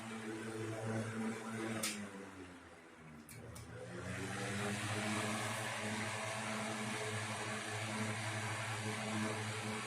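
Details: 1960s 16-inch Toastmaster box fan started up after storage since late 2022: steady even hum, constant low tone and soft airy rush, one brief dip, no rattle; runs good, owner says it needs cleaning and probably servicing.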